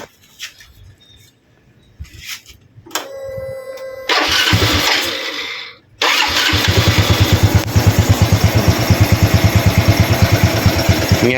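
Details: Used Honda Wave 110i after cylinder top-end rebuild (piston replaced) for loud cam chain noise: engine starts and settles to a steady even idle, no chain rattle or ticking; normal idle.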